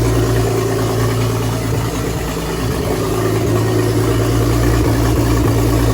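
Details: BMW E46 turbo build, first startup after final assembly with the front subframe and steering rack rebuilt, in light rain: a steady, even idle with a smooth low rumble and no knocks or misses over rain hiss, sounding healthy.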